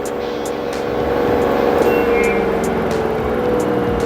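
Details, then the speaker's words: LG 8 kg washer / 5 kg dryer 2-in-1 inverter direct-drive front loader, Q test top spin reaching 1370 of the 1400 rpm maximum: a steady mid-pitched whine with light regular ticking and no grinding or banging; judged perfect. "It's already came 1000 now, 1100, 1200, 1300. It is coming only maximum, it's showing 1370. It's not showing 1400, but it is okay, it's perfect."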